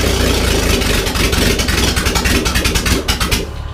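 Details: OMC 4.3L marine engine after charging cranking battery (slow cranking was ~6 V drop across jumper cable, not the starter); fires and runs strongly with even pulses through blips, no misfire or starter drag.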